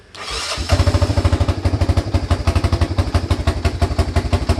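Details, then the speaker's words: Honda FourTrax 300 ATV after repairing a no-start/no-crank fault, including a missing choke-cable clip; it catches within half a second and settles into an even, steady idle of about three beats per second; clean start and healthy idle. "you go she's working all right he's ready to go"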